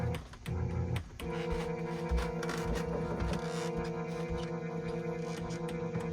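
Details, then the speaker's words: Korg Trident synthesizer at its first power-up after power supply capacitor and wiring repairs: a steady string chord drones with no keys played and the synth section is silent. It is a keying fault, possibly power-supply related. "Okay. So, we got strings on, but they're just all on. So, that's a keying issue."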